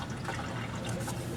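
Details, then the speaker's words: 1995-2001 (4th gen) Nissan Maxima during water pump removal, engine off: steady splashing trickle as coolant pours past the pump and down the timing cover into the oil pan and drain pan; coolant leak from water pump. "there we go you can hear it pissing and actually I see it pissing too"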